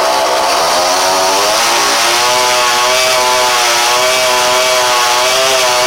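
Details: 49cc dirt bike two-stroke running on a makeshift rigged carburetor, with a proper carb still to be ordered and clutch problems found: high buzzy note that drifts and surges in pitch rather than holding steady, as the mixture hunts.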